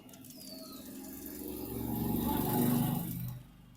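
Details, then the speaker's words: Hero Splendor BS6 new model engine stopped, rocker rocked by hand with the mic close: sharp metallic clicks about four a second from excess tappet play, the cause of the kat-kat noise before valve clearance setting. "वैसे भी टपट को ऊपर नीचे कर दे कटकट का sound आ रहा है"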